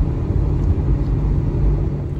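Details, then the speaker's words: 2010 Subaru Impreza 2.5i, five-speed manual, highway cruising: constant low droning howl under road rumble, steady with speed; owner suspects a wheel bearing or the five-speed manual's bearings starting to go, source unconfirmed. "especially when you're on the highway cruising the next that's all you hear is a loud howl"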